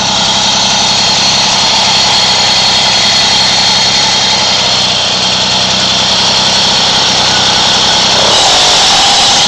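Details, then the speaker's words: Moby moped two-stroke after variator reinstall and shim fix, buzzing steady; light throttle brings a brief rattle that goes away once the clutch engages; owner suspects a common noise, not confirmed. "you hear that right when I hit the gas a little bit you get that you get that noise back again but it goes away after it engages"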